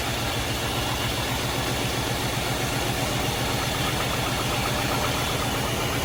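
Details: Chevrolet S10 pickup unused since 2019, after a fuel tank swap and mouse-nest cleanup in the valve cover, possibly helped by tied motor mounts: a loud, steady, fast idle with no knocks or misses, running smoothly.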